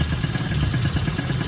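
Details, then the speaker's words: Sanex 50cc two-stroke after engine rebuild with new crankshaft bearings and seals, used piston fitted: low, soft, even putter with no rattle or knock; normal idle, quiet and smooth. "Mesinnya sangat kecil saat idle. Ini adalah tanda keberhasilan."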